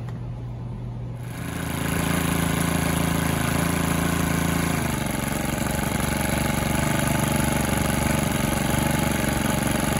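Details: Stihl FS 110R 4-Mix trimmer on the bench after a new clutch shoe and spring kit. Engine catches and settles into a steady, even idle, now idling properly; a running-wild idle points to an air leak.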